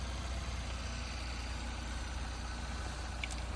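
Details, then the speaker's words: Tata Nano petrol engine after full rebuild (cylinder, piston, main and connecting-rod bearings, head, valve seats, new oil pump with water body, rewired): low steady idle, even beat, no knocks or rattles; normal, no exhaust smoke. "ನೋಡ್ಬೋದು ಗಾಡಿ ಎಲ್ಲ start ಆಗಿದೆ. ಬರ್ರಿ ಅದು ಸೌಂಡೂ ಎಲ್ಲ ನಿಮಗೆ pin to pin ತೋರಿಸ್ತೀನಿ."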